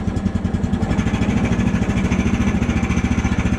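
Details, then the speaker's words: Woodland Mills portable sawmill single-cylinder engine, choke off, throttle pressed slightly on a cold day: raised idle with rapid regular pulsing and light metallic pinging as the centrifugal clutch chatters without the blade fully engaging, which prematurely wears the clutch. "That's the pinging of the clutch. You don't want to get it idling too high, or you'll have the pinging happen but the blade's not fully engaged, and that's when you prematurely wear out your clutch."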